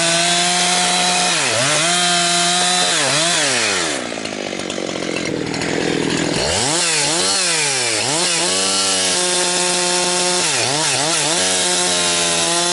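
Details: Husqvarna 362XP Special chainsaw with Walbro carb, tuned safely rich, cutting firewood. It screams high, then breaks into a gargling stutter each time it nears 11,500–12,000 rpm, maybe topping out around 10,000–10,500. It four-strokes because a previous owner fitted the wrong, rev-limiting ignition coil.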